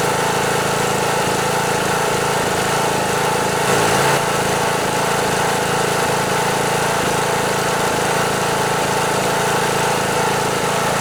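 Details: John Deere D100 riding mower, Briggs & Stratton single-cylinder OHV Intek 17.5 HP, with a loud, busy, wavering idle that surges. It smokes and leaks oil from the fuel pump breather screen; oil level is fine. Owner suspects a blown head gasket causing back pressure.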